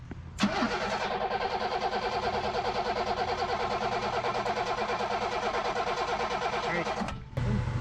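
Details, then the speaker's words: 1987 BMW 528e (E28) that sat about two years: the starter spins the engine at a steady churn of about three beats a second but it never catches. The fuel pump is not running during cranking and is getting well under 12 V; there is also no spark. "however at this point with the engine spinning that fuel pump should have been running and it's not"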